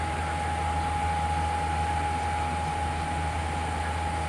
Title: Loud Humming sound